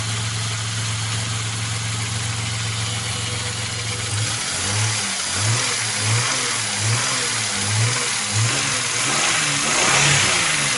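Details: Opel Omega B engine: steady idle, then revs blipped up and down in short bursts, with a rough knocking running under the engine note; engine knock, cause not stated.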